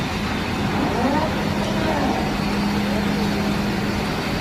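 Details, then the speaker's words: Bottero glass cutting machine bridge travelling after its noisy bearing was replaced with a new one (circlip removed, bearing pulled out): smooth, even hum and rush with no knocking or grinding; noise gone, bearings run quietly. "Testing natin kung nawala na ba talaga yung ingay. Tignan natin. So yun, nawala na mga kachamba."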